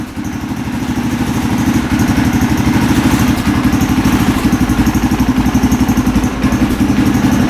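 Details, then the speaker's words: 2003 KTM SXC 625 Supermoto single-cylinder, warmed up after a carburetor clean fixed its poor running. Steady thump at about four beats per second, even, with no stumble or hunting. Normal warm idle. "Very responsive, doesn't bog down. All right, so the carb clean fixed it."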